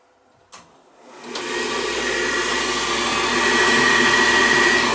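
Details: 90+ propane gas furnace that locked out after one cycle, test firing: click, then rising rush settling into a smooth, steady roar that stays lit; combustion air drawn from basement; normal firing.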